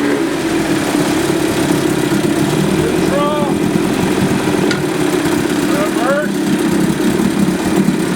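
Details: 1978 Johnson 25 hp short-shaft two-stroke outboard after cleaning a badly fouled carburetor that caused a no-start: settles into a steady, even idle with no stumbling or misfire. Normal idle.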